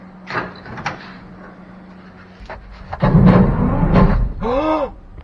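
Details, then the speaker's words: 1957 Chevy 3100 pickup, original six-cylinder sat 57 years in a field: the starter Bendix kicks out with a heavy clunk and strained groan, then a short whirring spin-down with no cranking; the engine is locked. "So now she's locked. It tried to turn it."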